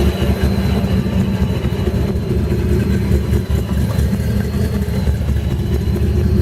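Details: 1965 Mustang Fastback, supercharged, with custom Trick Flow fuel injection and a brake pressure-reserve system instead of a booster: a deep, lumpy, steady idle with a faint constant supercharger whine, running healthy.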